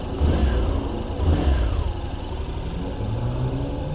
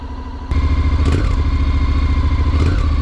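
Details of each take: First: 2021 Honda NC750X DCT motorcycle after recall fuel-injection ECU software update: two throttle blips climb and drop cleanly with no hesitation at low throttle opening, then steady idle; throttle response now smooth and normal. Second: 2021 Honda NC750X DCT on a cold start. It catches and idles, then small throttle blips stumble and stutter instead of picking up cleanly. This is lean fuelling from the fuel injection software, which was recalled and fixed by an ECU update.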